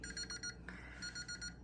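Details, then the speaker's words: Energizer NiMH charger gives two groups of three high beeps with a flashing red light, an error for bad rechargeable batteries; owner thinks the cells got wet in an outdoor solar light. The charger itself is fine. "and then all sudden your charger starts freaking out and you're wondering well what's that mean and that little light means there's something wrong with your battery"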